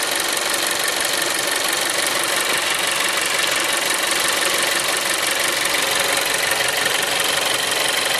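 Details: Seat Leon 3 (5F) TSI 140 petrol at idle: fast, fairly even ticking about three per second over a hissy, bright background; unexplained noise, cause not confirmed.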